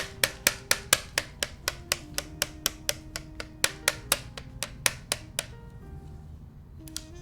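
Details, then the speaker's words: SQUARE 'X' prototype keyboard, aluminum plate, Gateron N1 switches, GMK keycaps, during regular typing: brisk sharp key clacks with faint metallic ring after each press; plate rattling. "can hear it rattling just regular type"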